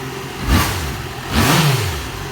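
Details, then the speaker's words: 2015 Yamaha XJ6 600cc twin, 22,000 km, two quick throttle blips with a hard, tinny metallic rattle over the revs; owner feels it is in the cylinder head, says not valves, suspects connecting rod bushing; mechanic calls it normal; cause unknown. "é um barulho é um barulho de ferro gente um barulho assim não é válvula não é uma coisa tão sujo ael é bucha de biela é um barulho de ferro sabe"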